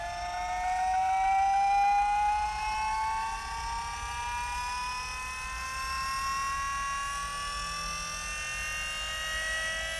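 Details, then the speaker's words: Astra electric power steering pump fitted to a drift car, running on rubber mounts sitting on the chassis before its bracket is installed: a clear high singing whine rises, then settles and backs off after running. Normal, just louder than it will be once mounted. "As you can hear, she fairly sings. And then it seems to back off a bit once she's been running for a bit. Because it's just sitting on the chassis, so it's louder than it will be."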